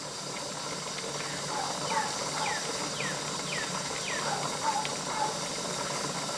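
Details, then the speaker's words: Pressure canner on an outdoor LP hotplate coming up to about 10 psi: a steady hissing boil whose sound changes as pressure rises, with short falling chirps as the jiggler starts spitting steam. Normal operation. "you can hear a difference in the sound on the boiling as the pressure comes up too"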